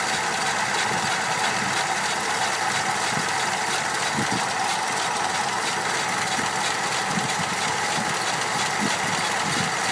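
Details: 1987 Dodge Power Ram W150 with 5.2L V8 at steady idle: light, quick rhythmic ticking keeping pace with the engine; owner suspects a bad lifter.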